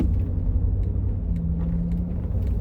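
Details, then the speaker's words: Cadillac Escalade ESV, probably a 2009 (GMT900 GM truck/SUV front suspension), driving after a cheap quick front-end fix: steady low road rumble only, no clunks or rattles over bumps, tighter steering and less body roll, so the previous front-end noise is gone. "Doesn't roll as much, and obviously the sound is all gone."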